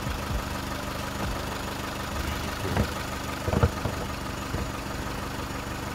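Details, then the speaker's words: Four-cylinder car after repair: cylinder three was dead and its ignition coil was replaced; steady even idle, no misfire stumble, all four cylinders working, exhaust fine. Normal idle. "good now all four cylinder working cylinder number three we had a problem with and we replaced the quill"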